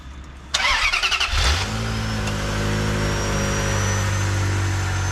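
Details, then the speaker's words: V8 after new belts and coolant hoses: starter whirrs briefly, then the engine catches and settles into a smooth, quiet, steady idle with no more misfires, exhaust leak or rattle. "it's quiet no more misfires no more misfire no more like exhaust leak or rattle or whatever it was smooth that's the way a Ferrari should sound like"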